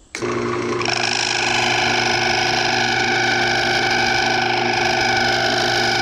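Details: Wood lathe turning an old fatwood piece with a thin stem section: as the cut starts, harsh steady buzzing screech over the spindle hum; tool chatter against the flexing thin section.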